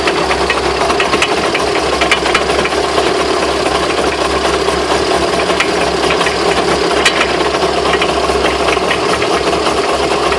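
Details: Irregular sharp clicks and knocks over a rumbling run, with no steady rhythm. Owner asks what the knocks are and whether the drive shafts could be bent. Cause suspected, not confirmed.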